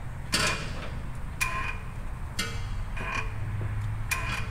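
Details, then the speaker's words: Dodge Dakota 5.9 L 360 Magnum V8 with ticking noise, crank turned slowly by hand with torque converter to flex plate bolts removed; short squeaky screech about once a second with each pull, source unclear. "Okay so we've got the bolts out from the torque converter to the flex plate still kind of making that little Screech sound there"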